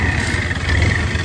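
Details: Honda Aviator scooter just started, idling: steady low chatter over the engine note coming from the clutch side.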